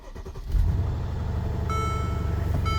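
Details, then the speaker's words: Mercedes SL550 after about a week sitting, now around 75,000 miles of Las Vegas city driving: brief crank then clean catch into a smooth steady idle with no knocks or misses; runs perfectly. "so now you're going to hear this car start it runs absolutely perfect"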